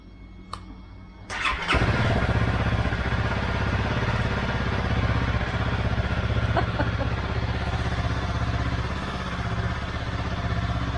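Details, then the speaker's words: Honda CRF250L that had been running poorly, started before refitting the tank after removing the fuel pump, checking the fuel filter and fitting a new spark plug; a brief crank, then it catches and settles into a steady, even idle with no stumbling. "Okay, so far so good."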